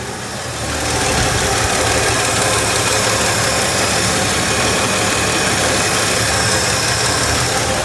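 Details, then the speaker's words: 1963 Ford F100 six-cylinder, sludged engine, just after valve adjustment (middle cylinders loosest, #6 exhaust tight, #1 intake loose): steady, even idle with smooth light valvetrain tick, no loose clatter; much nicer than before. "I love it when you do something like this and it just all does what it's supposed to do, and it just sounds so much nicer now in comparison to what we had before."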